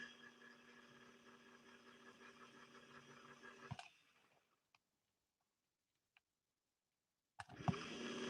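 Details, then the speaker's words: 1961 Singer 401A sewing machine motor, given a slight assist and reaching only about 40–45% power: a strained, uneven whirr with metal-to-metal chatter, then it stops. The motor is weak and struggling; it will be removed and torn down. "you can also hear some metal to metal as well all right that's enough i've wanted to push the motor a little bit just to see if we can get it to break free but it's still obviously struggling a lot"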